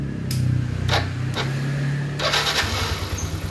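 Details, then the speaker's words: Yamaha NMAX engine after adjusting the loose cam chain tensioner, first start with the throttle body refitted: catches after a few cranking bursts and settles to a smooth, even idle with no rattle, unlike the harsh noise before the fix. "Nah sekarang suara motornya dia sudah halus kembali ya beda dengan waktu sebelum kita melakukan penyetingan untuk tensionernya atau tonjokan ketengnya ya"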